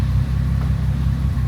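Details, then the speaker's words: 2005 Bentley Continental GT during a post-fire rebuild, after two broken 10A fuses were found: a deep idle with an uneven, stumbling beat and dips, multiple misfires. A cylinder 3 injection circuit fault is stored. "And obviously it's going to be multiple misfires now because I can hear it from the noise that the car makes that it's not"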